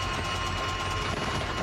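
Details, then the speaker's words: Scherer Sport Porsche SP9 GT3 race car (No. 16) stopped on track at Nürburgring 24h qualifying after only a third of a lap, towed back; harsh metallic background rattle over a rough engine note, worsening; cause unclear, commentator speculates binding brake. "well, that's the background rattling noise you can hear. That doesn't sound very nice, but it only made a third of a lap before it needs to be recovered. No, that doesn't sound well at all, does it? That's getting worse."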